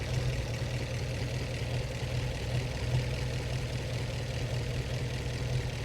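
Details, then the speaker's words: 1915 Scripps-Booth Vitesse V8 race car, about 100 miles on the rebuilt engine, after tuning the Zenith updraft carb idle mixture: an even low thrum with soft external-pushrod ticking and no misses, brief throttle; smooth, well-tuned normal idle. "that that's a really nice idle for this old of a race car and if I give it a little gas sounds great it's just more refined now it is it's very smooth yeah those are the uh those are the push rods out external push rods moving"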